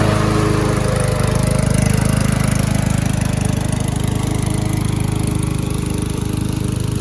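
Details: Curb-salvaged MTD walk-behind lawn mower cutting grass after an oil change, with engine speed turned up a bit: steady, even single-cylinder thump with a deep low note, no misses or knocks. Runs healthy; earlier exhaust smoke suspected from tipping and slight oil overfill.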